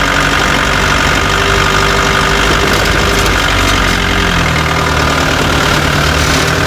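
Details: Chevrolet Tavera diesel at idle: loud, rough running with a clattering knock under the engine noise; owner reports a khatpat knocking sound that 10 mechanics could not diagnose, source unknown.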